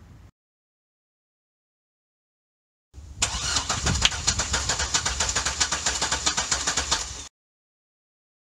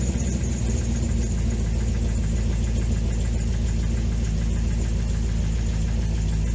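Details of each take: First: 2005 C6 Corvette LS2, valve cover off during compression test: starter cranks steadily about four beats a second, even chug every stroke; good balanced compression, 200 psi consistent. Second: 2005 C6 Corvette LS2, 108,000 miles, knocking complaint, after tightening a loose rocker bolt: at idle an uneven tick about three per second over deep rumble; noise remains, suspected bottom end, needing engine rebuild.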